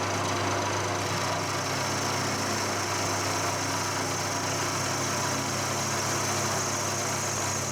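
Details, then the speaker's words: Colchester Student lathe job, milling a T-slot in malleable iron with a resharpened carbide end mill that previously broke, 5 mm deep passes: steady even cutting roar with no chatter, squeal or surging; normal cutting. "so uh that cut is doing really really well given that I abused it and broke it it's uh it's cutting really nicely"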